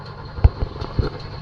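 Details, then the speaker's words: Chevrolet Nova sitting about 22 years, cold start at 30°F after long crank to build oil pressure; starter sounded terrible, then oil light goes out and engine revs and idles with low rumble, uneven thumps, plenty of smoke but no knocks. "all right oil light went out hit the gas crank up no knocks plenty of smoke but no knocks"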